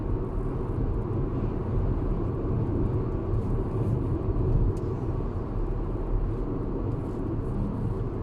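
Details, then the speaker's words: Proton X50 on its second test drive, at cruise around 70: a steady, even low roar with no whistle or hum, confirmed as ordinary tyre noise, not from the well-insulated windows. "Kita confirm bunyi daripada tayar. We confirm that the sound, the noise is from the tires."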